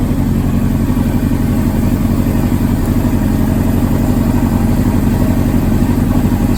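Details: 2005 Honda CBR600RR four-cylinder, 4,299 miles, rebuilt from wrecked and long-stored; spark plugs replaced after old gas. Warming after cold start: fast, even thrumming idle with steady pulses, no misses or rattles. Normal healthy idle.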